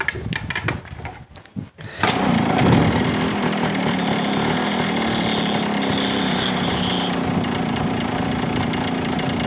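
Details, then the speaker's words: Yamaha RX100 two-stroke motorcycle after repair work for a pickup problem, restarted: crank rattle, then a steady buzzy idle with no misses or knocks; the sound is judged good and the problem mostly fixed. "Sound ঠিক আছে গাড়ির? হ্যাঁ, sound আমার খুব ভালো লাগে।"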